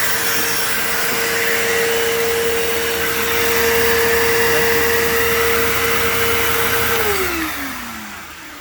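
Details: PowerForce 3522-6 vacuum spinning a turbo brush. Steady motor whine sounds slightly loaded but holds pitch, then winds down. It almost sounds like straining but doesn't trigger the indicator: normal running with turbo brush.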